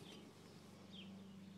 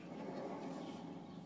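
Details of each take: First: Driver's side rotor hand-spun with brakes disconnected, turning almost silently with no grinding or rumble; a good wheel bearing, shown for comparison with the bad other side. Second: Driver's-side wheel, brakes disconnected, rotor spun by hand: rough, gravelly rumble instead of a quiet spin, unlike the silent other side, indicating a bad wheel bearing.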